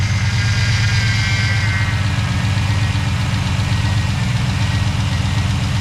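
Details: ATK 5.7 LS V8 freshly installed in a Chevy Tahoe rebuild, first start on a safe break-in tune: deep, even idle with a steady low rumble and no knocks or misses; normal idle.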